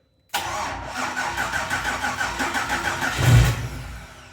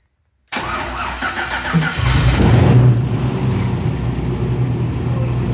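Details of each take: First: BMW E34 with LS3 V8 swap, first start attempt during rebuild three years after an accident: fast, even cranking with a brief surge near the end that fades; engine spins but does not catch. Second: BMW E34 with LS3 V8, first start during rebuild three years after an accident: cranks and catches after half a second, brief rev, then deep even idle settling smoothly; sensors working, fuel pressure 3.8 bar, headers burning off.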